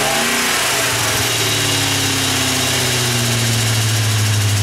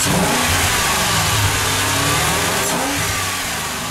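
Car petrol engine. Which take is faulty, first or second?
first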